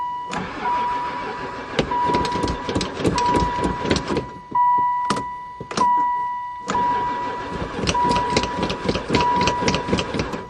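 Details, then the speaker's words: Van that sat unused for about four years: after a battery hookup and gas poured in, the starter cranks in repeated one-to-two-second bursts but it never fires. The owner suspects no spark; the oil light went out during cranking. "Never fired once. [Music] [Music] Oil light's not on anymore. Still no go."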